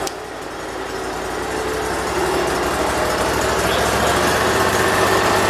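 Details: 2006 Mud Buddy HD Mini, 23 HP Briggs Vanguard, after reconnecting the kill switch: small twin settles into a steady even beat that gently builds in loudness, no misses or knocks; normal idle, idle adjustment still wanted.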